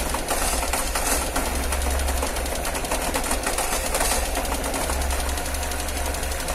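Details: Cold engine in the morning running rough with a quick, steady ticking over the idle; shaking and ticking on cold start, cause unclear.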